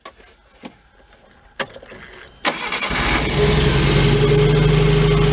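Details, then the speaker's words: 2008 Mag XT Chinese work truck with a dead miss, spark plugs checked on coil: a few clicks, then catches into a loud lumpy low throb, running on only the two middle cylinders. "I don't know if it's going to start or not it just has the two cylinder middle cylinders to run on but let's see what we get"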